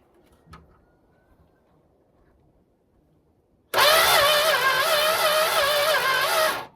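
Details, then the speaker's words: Barn-find Monaco, sat for decades with next to no compression (rings suspected stuck), cranks steadily about three seconds without firing; no spark from the coil, so check connections and swap the coil. "okay so there's no spark coming out of the coil so check the connections and switch out the coil and see what happens"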